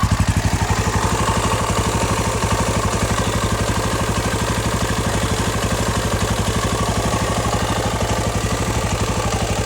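Big single thumps evenly at about four beats a second, steady and unbroken throughout; a healthy idle with no knocks or misses.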